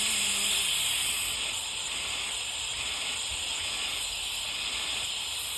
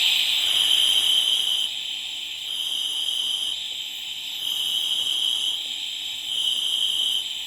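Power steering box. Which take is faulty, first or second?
first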